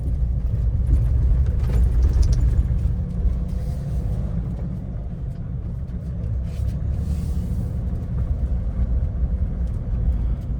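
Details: Car driving with a low rumble and irregular dull "guduk guduk" knocks rising out of road noise now and then, louder inside the cabin than outside; intermittent knock, cause unclear.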